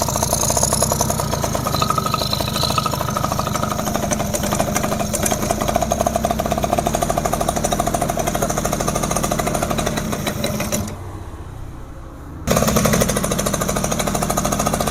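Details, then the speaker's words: Yamaha F1ZR two-stroke after a rebuild (new conrod, crank bearings) and carburetor install, first start: busy, rattly chatter that catches and keeps running with a brief dip, then picks back up; runs fine. "Oke. Nah, sahabat semua sudah nyala motornya."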